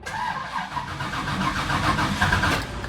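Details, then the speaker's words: 1969 Pontiac GTO converted from carburetor to FiTech fuel injection, first start with no pedal priming; uneven cranking churn with a long delay before firing, owner guesses the system is purging air, then it holds 900 rpm. "almost i'm i'm guessing it's purging all the air out oh hey oh wow it's staying at 900."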